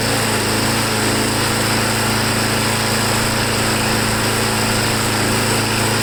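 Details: Briggs Quantum small engine after a carb clean, an air filter backing modification and a stiff primer bulb found working: a steady, even high-pitched drone with no surging or stumbling; normal running.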